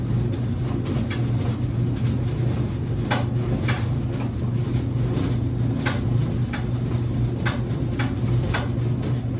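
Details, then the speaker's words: Whirlpool/Maytag dryer taking longer to dry, clothes left damp: steady hum with irregular sharp clicks and scrapes because the blower wheel is rotating on the motor shaft instead of spinning with it. "The blower wheel is rotating on the shaft. It is not spinning."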